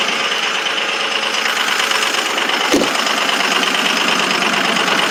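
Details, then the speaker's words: 2005 Ford 6.0 Powerstroke diesel, cold at 17°F, injectors 1 and 5 bad: rough, clattery idle tick about three per second with an uneven beat, yet fired right up; injector misfire. "she runs though she fired right up pretty good with two bad injectors"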